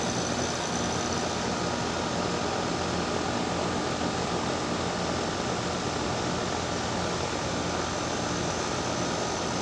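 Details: Daikin DX14 2-ton outdoor AC unit on startup: loud, steady rushing hum, unusually harsh; abnormally loud scroll compressor, cause not confirmed.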